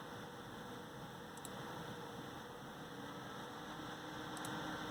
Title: amd stock fan / wraith spire loud noise 2